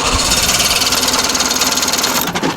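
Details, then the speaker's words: 55HP Chrysler Magnapower outboard on boat project, put in neutral, smells of fuel; owner can't figure out why there's no spark: fast, even cranking chatter with buzzy high edge, never fires; cranks but won't start. "Let's rock and roll. It wants to so bad. It wants to go so bad. What do I need to do? It smells like gas now."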